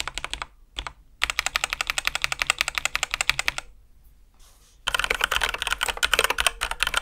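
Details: Ducky x HyperX One 2 Mini keyboard after switch lubing, heavier springs and modding: fast bursts of soft, deep, mellow even clacks, much quieter, no metallic ping; normal keystroke sound.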